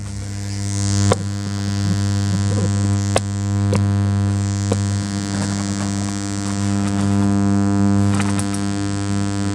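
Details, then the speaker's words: Bauhn BH900 Bluetooth powered bookshelf speakers: steady low buzzy mains hum with poor audio, caused by failing amplifier filter capacitors, one bulging, to be replaced with bigger caps; mains hum from failing filter capacitors. "They're humming and they don't work very well in the audio."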